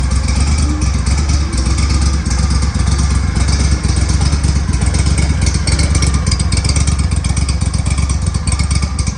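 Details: Engine on a boat with power trim, whose exhaust leaks were fixed: a steady, deep drone with an even beat and no exhaust puffing or ticking; normal running.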